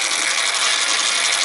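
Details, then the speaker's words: American Changer first-generation green stripe coin hopper, in for excessive noise and vibration, running: harsh, steady gritty grinding with hiss and no rhythm — worn gears in the hopper gearbox. "That's where our problem is in the gearbox. That is uh that's not the loudest I've heard, but it's close to crazy loud. Nobody wants to listen to that."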